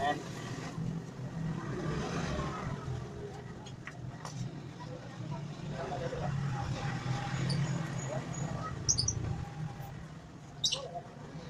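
The engine settles into an even, lively low idle with a few light ticks over it and no knock or rattle, so it sounds healthy.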